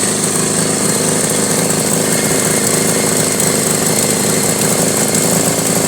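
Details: 1983 Honda Goldwing Aspencade project bike, engine running for the first time after revival, started on full choke; steady busy idle with uneven lumpy beat under mechanical clatter, running rough and clearly needs tuning; cause not confirmed.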